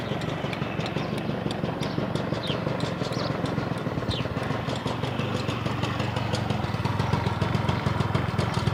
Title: Стук в моторе Honda Lead 90